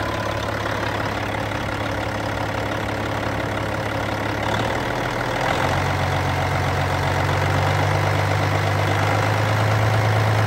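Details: Cat C15 diesel, 900,206 km, 23,916 hours, running while checking blow-by: heavy diesel clatter at steady idle, then a slight rise in speed, even rhythm with no odd knocks; healthy.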